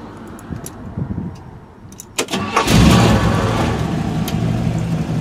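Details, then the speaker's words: Old V8 car restarted hot in winter (cranks a while when warm, about five seconds when cold): short crank, catches at once and settles into a steady, even idle; normal hot start. "right back up when it's hot when it's warm it's got a crank for a while and when it's cold it's a good five seconds of cranking but that's really it"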